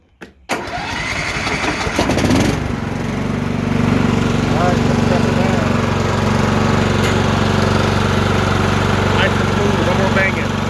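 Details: Troy-Bilt mower after drive belt 754-0468/754-0467 replacement: cranks briefly, catches within two seconds, then runs steady and even with no knocks or belt squeal.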